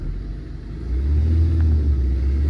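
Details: Tata Zest diesel after the broken camshaft that left no fuel pump/rail pressure was repaired: short rev that rises smoothly and holds a deep, even rumble with no hesitation; picks up cleanly and sounds healthy.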